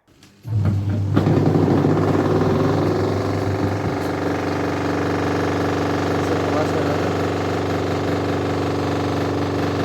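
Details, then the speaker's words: Godrej 7 kg semi-automatic washing machine spin dryer: winds up into a loud coarse drone with rough rumble; the spin buffer under the drum is worn and needs replacing. "कहीं आपके भी semi automatic washing machine का dryer इस तरीके की आवाज़ तो नहीं कर रहा"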